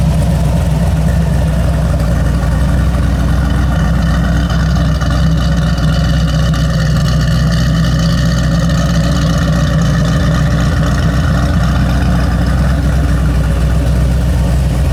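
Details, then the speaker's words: G48 car at idle in neutral after completing a new exhaust with tailpipes: deep, smooth, even rumble, much quieter, no misfires or knocks; slight belt squeal from a manual tensioner needing tightening. "oh wow it sounds really good wow [Music] it is much much quieter"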